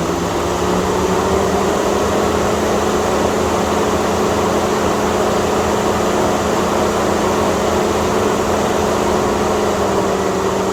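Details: Chevy/GMC radiator cooling fan: a loud, steady rushing roar over a constant hum with no change in speed; fan stuck on high from a temperature sensor fault, cured by replacing the sensor and resetting the battery.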